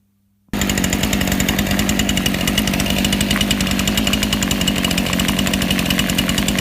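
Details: Two-stroke chainsaw/trimmer carburetor, low-speed mixture screw turned from too lean to too rich at idle: fast, slightly uneven crackle, revs shifting and beginning to skip as mixture goes rich.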